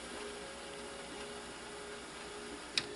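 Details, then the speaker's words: 1988 Kenwood KX-67W stereo cassette deck rewinding and stopping: only a faint soft whirr and one light click, the tape transport running smoothly and quietly. "we apply the rewind and stop, practically nothing is heard what the team is doing Okay, very light is what you hear"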